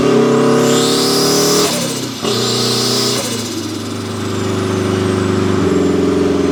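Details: Turbo Mazda Miata, built 1.6L with a new head gasket, new clutch and flywheel, and a custom unequal-length turbo manifold giving a Subaru-like sound, about 14–15 psi boost. A strong, even note climbs, dips on a shift, then pulls cleanly again: a normal turbo engine running under boost.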